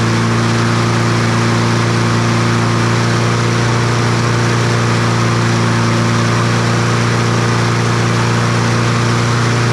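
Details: Troy-Bilt TB200 push mower, Briggs & Stratton 550E 140cc engine, first crank before service, oil dark: loud droning hum with a slightly uneven pulse; runs rough.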